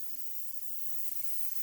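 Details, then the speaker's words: Chevy Equinox with a misfire, on a cylinder leak-down test at 80% leakage: a steady soft hiss of air escaping into the intake, heard at the intake plenum. It is faint at the oil fill and silent at the exhaust, so the intake valves are likely bent. "if I put it on the back on the exhaust I don't hear anything so this tells me the intake valves are likely bent"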